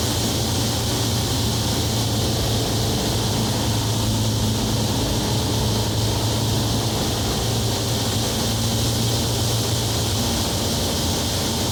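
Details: Onex with turbocharged Aerovee engine in flight, running with the intake hose fallen off its compression fitting, a big intake leak blowing out fuel-air mixture. Steady drone under heavy wind rush, no surging or rattle; engine running smoothly.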